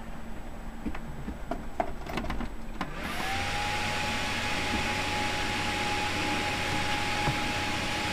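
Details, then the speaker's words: Desktop motherboard (likely nVidia GeForce 6100+ or ATI/AMD chipset) failing to POST, reset does nothing; fan spins up to steady loud whir that never slows; suspected failed northbridge BGA connection. "So as you see now it's not wanting to post I can press reset still does nothing"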